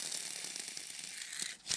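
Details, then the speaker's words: Rototiller gearbox bearing (6205-2RS), removed because the gearbox was leaking gear oil, cleaned of oil with brake cleaner and spun by hand: a dry, gritty rasp with a ratchety rattle instead of a smooth whirr. The bearing is worn. "because the fluid will mask some worn bearing sound so you take some brake cleaner clean all the oil out of it and then it sounds like this 3 2 1 oh"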